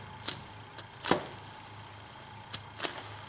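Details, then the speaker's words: BMW E46 idler (deflection) pulley spun by hand off the engine: the good replacement runs nice and quiet with only light handling taps, unlike the old one's grinding bearing, which can be loud on cold start. "spin and this one's nice and quiet as opposed to the other one has a grinding bearing noise to it"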